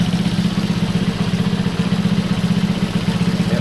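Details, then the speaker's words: Honda C200 single-cylinder motorcycle project after its 12V conversion, first start with the exhaust fitted only loosely. An even, quick putter of about four beats a second with no misses or knocks. It idles cleanly, slightly smoky, and the carb is still in doubt. "So I suppose we better start it up and see what it sounds like. Well, she's running."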